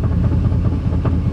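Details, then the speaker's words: 1988 Chevrolet truck on a test drive, not revved hard: steady low engine drone with a repeating deep knock; bad crank suspected as cause of bottom-end knock. "can't River too hard with a bad crank oh listen to that knock knock knock knock"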